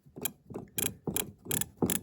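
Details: MSD ignition box driving a factory OEM Mopar electronic distributor on the bench, spun: crisp, evenly spaced snaps, about two or three a second, sharp and consistent; works about the same as standard equipment.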